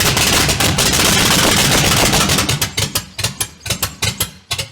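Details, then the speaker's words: 500hp V8 in a Honda, first fire-up on low gas; stumbles with loud, uneven cracks and pops in erratic bursts, misfiring badly; owner says ignition timing was off a lot. "What is that noise? That was a weird noise."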